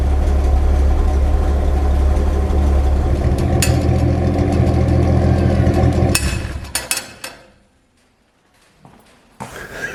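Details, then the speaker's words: Old, hard-used stock engine in a rat rod with worn stock carburetor: fires and settles into a steady deep idle with slightly lumpy, uneven beat, then shuts off; rough idle, no blue smoke, running rich. "No blue smoke there, but she's running rich. And well, this old engine here has had a hard life, and it's stock standard. And that old stock carburetor is quite worn, so no wonder."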